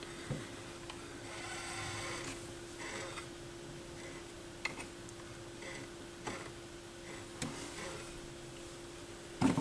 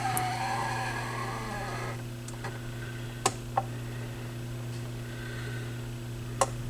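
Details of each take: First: Yamaha YP-B4 turntable propped on its side during the auto-return cycle after the cut button: low motor hum with soft clicks and rubbing from the plate gripping the Stewart pimple; normal return mechanism noise. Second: Yamaha YP-B4 turntable during repair, tonearm auto-return cycle, speed too slow, belt being matched: steady low motor hum with a few sharp mechanical clicks as the arm returns; odd return noise, cause not yet found.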